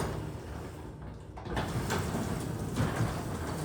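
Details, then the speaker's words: Garage door after greasing all moving parts and lubing with WD-40 silicone, cycled once or twice: soft, low rolling hum with only faint rattles. It now runs quiet and smooth. "I just greased all the moving parts of the garage door and after I move it up and down once or twice just listen to how quiet it gets"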